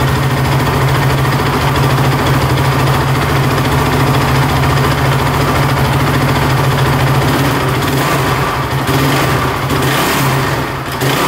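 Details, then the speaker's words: Honda TRX450 quad that bogs, dies and won't rev out, just started: single cylinder idling with a fast, busy chattering loudest from the top end, not running right; cause not yet found. "you can hear a lot of chattering in the top end see if he fires back up but yeah it's not running right for sure"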